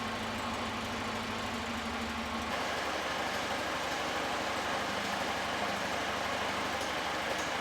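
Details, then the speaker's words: Freshly rebuilt 1600 twin-cam in a 1967 Alfa Romeo Duetto Spider, first start after decades: steady, even idle with a light, fast tick from the cooling fan just touching its shroud. "And you can hear a slight ticking noise, which is the cooling fan just touching the shroud, which is no big deal."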